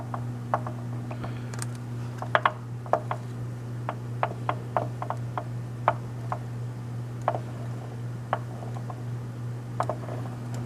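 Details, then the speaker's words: Pacemaker lathe headstock with the top covers off, gear train turning: sharp recurring clicks and knocks over a steady low gear hum, a knock from a damaged long gear with a missing tooth. "there's the only noise I could really kind of reproduce hear that knocking noise right there"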